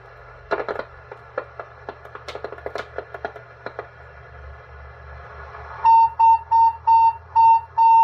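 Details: Cobra 142 GTL base station with a squeal once the volume goes past about three-quarters: scratchy crackles, then a sharp whistle like a little steam locomotive, pulsing about every half second; interference fed into the audio, source unconfirmed, mic plug suspected.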